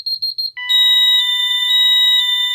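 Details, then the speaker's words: Ademco 6139R alarm keypad armed stay, police zone 08 activated: rapid stuttering beeps then a loud continuous high-pitched yodeling tone, the intrusion alarm sounding. "Now you can hear it yodeling, and it's very loud."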